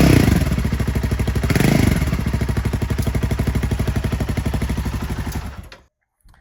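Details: Royal Enfield Himalayan 450 after the catalytic converter was replaced with an AEW straight-through mid-pipe: deep steady beat of about three pulses a second, even until shut off; healthy.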